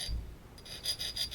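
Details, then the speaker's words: 2015 Ram Cummins removed transmission, pump turned by hand: dry gritty rasping about six times a second; pump gear scraped and chewed up, needs new pump gears and body, stator questionable, aftermarket limit valve present. "you can see some small Shadow scrapes here on the pump gear oh yes you can see right there this is uh this is chewed up you can hear it"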